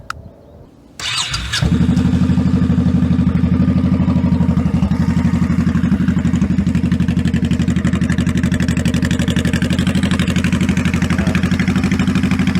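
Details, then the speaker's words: 2002 Honda Shadow 1100 (1100C3) after carb kit with new jets and shims, cold start: fires straight up into steady loping V-twin beat, about four pulses a second, no popping or misses; runs healthy. "I like the pipes. I think it sounds good."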